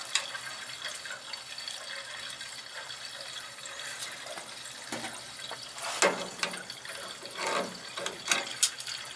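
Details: Gas boiler hydronic system with no heat in one zone: rushing water with spitting, gurgling bursts at the return purge station as air is purged from the zone.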